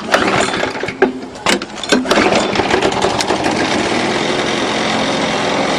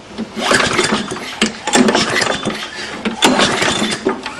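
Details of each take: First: 6 hp Briggs & Stratton flathead on a Murray mower after a valve job: after a few pulls it catches and settles to a steady, even drone, no chit-chit exhaust chuff, good compression; bent shaft rattles the deck slightly. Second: 6 hp Briggs & Stratton on a Murray mower, muffler removed: uneven pull-start cranking with a raspy "chch" chuff each exhaust release; poor compression from a burnt exhaust valve.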